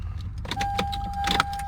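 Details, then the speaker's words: Lexus LS400 with TRAC warning light, code 47: sharp irregular clicks from an engine-bay assembly over low idle, steady high tone partway; clicking triggers the TRAC light, sensor disconnected, unclear whether normal. "as you can hear there's a clicking in the engine bay and then it it triggers the track light"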